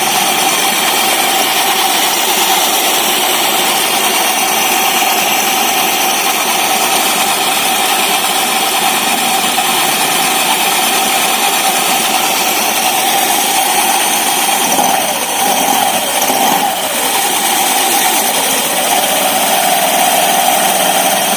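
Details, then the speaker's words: Honda Vario 150 FI scooter (new model) idling with a rough, gritty rasp from the CVT area. The CVT is opened and the rear clutch checks normal, so the drive belt is suspected: hardened, dirty. Noisy CVT drive belt. "Vario ini mengalami suara berisik di area CVT. Kami sudah membuka CVT."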